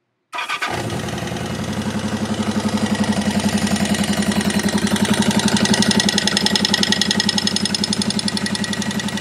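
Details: 1979 Yamaha XS1100 Special motorcycle starting and idling, with a sharp, regular clicking about four times a second over the exhaust beat from the left side of the engine, absent on the right side.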